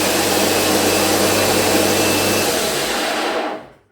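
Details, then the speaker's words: Bosch ARM 37 electric lawn mower motor runs with a coarse, rough whirr instead of a clean hum, then winds down; motor shaft not aligned at center, failed ball bearing needing replacement. "now at this moment maybe it doesn't sound so well"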